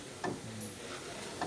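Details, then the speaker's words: Toyota Tacoma rear drum brakes: two sharp separate clicks about a second apart as the star adjuster wheel is turned to tighten the shoes until centered against the drum. "It's hard to get clicks though. Hear the clicks? So as I'm clicking it, I'm going to give it a little turn."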